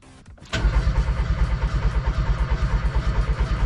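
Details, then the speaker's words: Peugeot 106 1.1 rally project, first start after new head gasket, exhaust valves, timing belt and tensioner, resurfaced head: starter cranks about three pulses a second but never catches; compression, fuel, new plug fine, no spark from blown fuse. "Compression OK, essence OK, bougie neuve. Et pourquoi est-ce qu'on a toujours pas d'étincelles ?"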